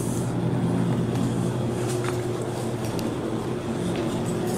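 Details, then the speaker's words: Vintage Lakewood S-223 box fan with a Westinghouse motor: steady motor hum with a coarse buzzing rattle that suddenly started. Something is vibrating, cause not traced. "something is vibrating I'm not sure what that is whatever that sound is it's making right now it just started happening"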